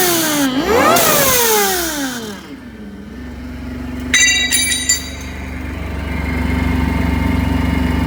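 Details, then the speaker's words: Phase 1 supercharger setup with a blow-off valve and an open filter on the intake pipe, still being tuned; cranks, catches, revs, then settles into a steady high whine with loud intake rush; normal supercharger whine. "i gotta rework this intake it's so loud i'll start it up for you right now"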